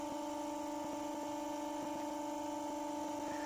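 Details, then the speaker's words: New RC bearings on a motor running steady at about 1400 rpm, one coil on the blue channel; quiet constant hum, faint light ticks, no grinding or drag. Much quieter than the old China bearings, which made a whoosh. "um yeah i'm really tripped with that very quiet"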